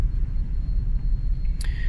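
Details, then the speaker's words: 2004 Chevrolet Trailblazer 4.2 engine at idle, scanner showing no misfire codes: deep lumpy uneven stumbling idle, clear misfire. "curioso, no me está marcando ninguno, aunque en realidad está bien fallón en el vehículo."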